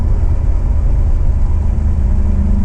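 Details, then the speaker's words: BMW E92 M3 (S65 V8) driving after exhaust manifold (header) replacement fixed limp mode: deep, even V8 rumble with no ticking or leak chuff, exhaust sealed; normal engine note. "Oh, the noise. I've been driving a car with just over 200 horsepower and I got used to it."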